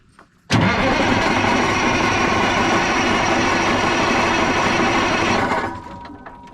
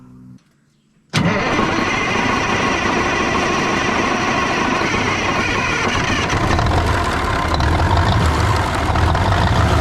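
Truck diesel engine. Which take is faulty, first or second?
first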